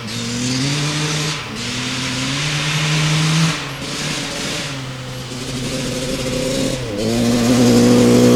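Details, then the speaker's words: 1995 Honda CR250 two-stroke, the old spark plug found dry (possibly lean), now with a brand-new plug: revs still sag and hesitate under throttle. It is still very boggy, and a plug chop was done at full speed. "all right still really boggy with that brand new plug"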